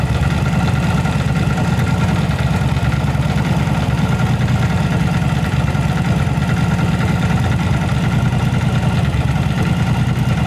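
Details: Yamaha V-Star 1100 Classic carbureted V-twin after repair of backfire and plug flooding, cause a rotten pipe; even loping idle, both cylinders firing steadily with no pops or knocks; normal idle.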